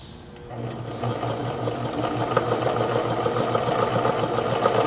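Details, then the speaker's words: Singer Stylist 814 sewing machine rescued from a junk heap, with a stiff hand wheel: the motor spins up to an uneven, busy rattling hum. Owner suspects the plastic stack cam. "I don't know what that noise is I uh there's a plastic stack cam under the stack maybe that's"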